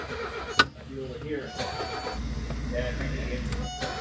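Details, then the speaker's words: 1978 Mercedes 300CD with swapped-in 1984 OM617 turbo diesel five-cylinder and new injection pump lacking a primer pump; starter churns steadily with no firing at all; air in the fuel system, pump not yet getting fuel. "So is there too much air in the system right now? Yep. And diesels are not well known for getting primed again very easily."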